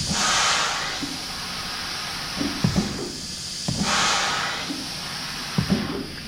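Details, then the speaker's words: Lely A4 Astronaut milking robot, left-front cord release air cylinder actuated: a loud hiss of escaping air lasting about a second with each actuation, then small clunks, and the ropes fail to release; pneumatic cylinder air leak. "so that's a lot of air hitting that you shouldn't hear we'll try one of these other ones you can see what it's supposed to sound like so while we're in there we're going to do the left rear too because you can hear it leaking as well"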